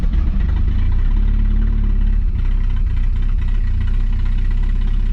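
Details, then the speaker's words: 1981 AMC Spirit four-cylinder, 42,000 miles, two-barrel carburetor, sat for years, choke held: low choppy uneven rumble, no clean rev pickup; rough running, not getting gas, owner suspects it needs an accelerator pump. "all right well so the situation is we're not getting gas [Music] does run well it might need an accelerator pump"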